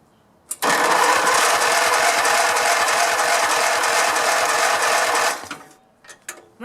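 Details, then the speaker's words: Grasshopper zero-turn mower, 16 hp V-twin Vanguard, mowing deck disconnected: starter turns the engine steadily about five seconds with fuel but it never catches. No spark confirmed; fuses fine, kill wires and diodes checked next. "Turns over a little bit. It doesn't sound so good. I'm giving it fuel. I'm going to check for spark. We got no spark."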